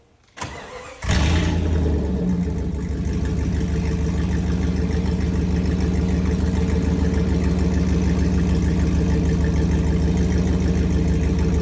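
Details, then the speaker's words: 1995 Jeep Grand Cherokee ZJ V8, lifted, muffler cut off, headers and downpipe only: cranks and catches, then a loud, deep rumbling idle with heavy low-end throb; open exhaust. "Of course I have to give you an exhaust clip with just the headers and downpipe on it."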